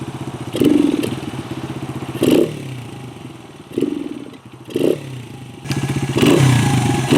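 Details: 1996 Honda XR100 single after sitting 2 years, carb cleaned and refilled, just started: thumping with uneven bursts of revving and dips, surging, unsettled rough idle; carb still needs tuning.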